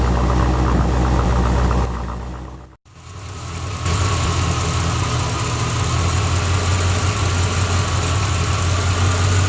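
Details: 1986 Corvette L98 TPI 5.7L V8 after cleaning clogged plenum EGR port (for EGR and knock sensor codes, failed emissions): runs, cuts out briefly, then fires and settles to steady even low rumble; normal idle.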